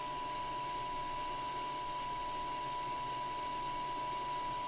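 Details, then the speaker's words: Anycubic i3 Mega after a silent-driver mod: the newly replaced Noctua hotend fan runs with a very quiet, even airy hum and a faint steady tone, no rattle; normal, quiet fan. "the Nocturna hot end fan is running great super quiet"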